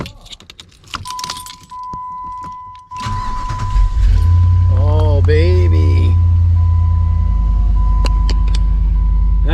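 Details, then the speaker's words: Jeep Commander that would not start, right after replacing the ignition switch: keys jingle, brief crank, engine catches at once and settles into smooth steady idle; fixed, normal start. "the sound we want to hear yeah buddy that's the sound we want to hear start right up"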